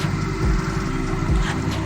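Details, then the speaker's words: Hyundai Accent with slim-bag air suspension, compressor running while raising the car to max lift (bag pressure believed about 110–112 psi): low, even, quiet hum with no knocking or rattle, normal operation. "good, but it's really quiet in my opinion...it's not that annoying. I thought it was going to be a lot more louder, but it's not..."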